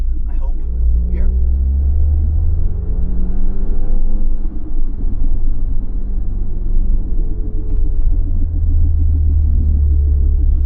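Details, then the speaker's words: 2018 Audi S3 driving: steady deep rumble under road noise that stops off power; cause unconfirmed, owner suspects rear wheel bearing but fears driveshaft center bearing. "My biggest fear is that it's the center and not the rear wheel bearing."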